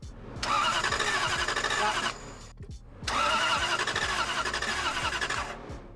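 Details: Lexus LS400, which drove fine days earlier, now cranks but won't start; two steady bursts of starter cranking about 1.5 s each with no catch; fuel pump disconnected while checking spark, one cylinder found without spark.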